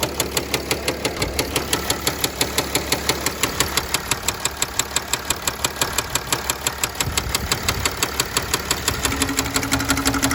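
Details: 2009 Mercedes ML320 OM642 diesel at idle with sharp regular knock about three times a second; began after 4-hour drive following oil change with no oil on dipstick; suspected rod knock, unconfirmed.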